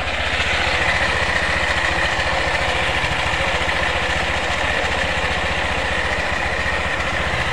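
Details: Honda PCX after CVT service for rattle and judder, clutch lining sanded and cleaned, clutch bell reassembled: even steady idle, smooth rapid putter, no rattle or judder from the belt drive. Normal idle.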